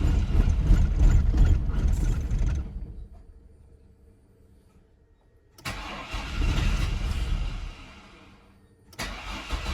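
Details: Chevrolet S10 unrun for 5 years, after a fuel tank swap, with fuel at the line: two bursts of steady, even cranking at about three beats a second, each dying away without firing. Owners suspect a fuel injector plugged by bad ethanol fuel.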